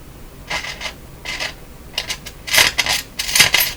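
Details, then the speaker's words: German Greatz Polka tube radio at first power-up after replacing several capacitors, all tubes lit: irregular gritty scratching bursts as the volume is turned. DC through the volume control from bad capacitors is suspected. "doesn't that sound that sounds pretty scary i don't like that at all it sounds like to me that sounds like dc going through the volume control"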